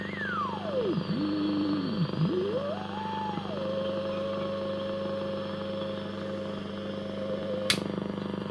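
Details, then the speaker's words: Hallicrafters S-20R tube receiver, first power-up with bad filter caps: whistle sweeps down, dips low twice, then settles on steady mid tone; BFO heterodyne tone working normally. "I don't know if you can hear that. The BFO is working. Can you believe it?"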